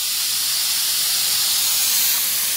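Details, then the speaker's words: Bench test of the fuel injector rail from a 1999 Nissan Maxima 3.0L. The rail is held at about 34–40 psi while the pressure regulator is checked and works. One injector gives a constant airy hiss with no rhythm: it is leaking through and bad. "the regulator is working you can hear that constant hit coming out of that injector there so that is a bad injector right there"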